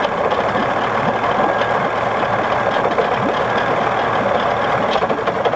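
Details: 1979 Johnson 55 two-cylinder two-stroke outboard with a busy, rattling idle and an uneven, stumbling beat with no steady rhythm: rough idle, cause not known.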